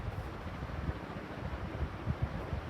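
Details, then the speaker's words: Ceiling fan after repair, sealed bearings lubricated with WD-40: soft, even whoosh on spin-down with no squeak, tick or grinding; bearings now quiet and healthy. "I just want to show you how good the spin down is down because no more noisy bearings"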